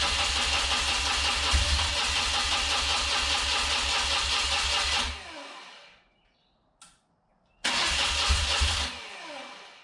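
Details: Rare carburetted twin motorcycle, first start attempt on choke, fuel on reserve, fuel filters fitted backwards: long steady cranking, stop, cranking again, never catches; carb bowl nearly dry.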